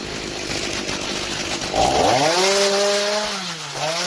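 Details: 2003 Stihl MS 290 Farm Boss 56.5cc two-stroke chainsaw, revived after cleaning clutch and air housing, cutting an old Christmas tree: rough rattle, then clean high scream climbing, holding, dipping briefly as chain bites; normal healthy cutting under load.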